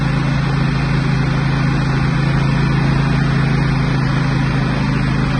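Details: Husqvarna GT 54CS two-cylinder garden tractor after maintenance with 10W30 synthetic blend oil, plugs, oil and fuel filters, while driven: steady even low thrum at constant speed, no knocks, misses or surging; running healthy.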